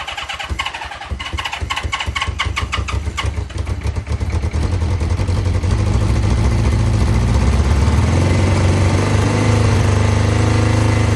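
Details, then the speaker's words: 1982 Honda CB650 four-cylinder, first start after VB44 carburetor rebuild, temporary fuel feed without tank: starter churns, quick uneven firing, then settles into steady low even idle; carbs running cleanly, normal start and idle. "Sounds it like, runs. Sounds like a run to me. Yeah, it does."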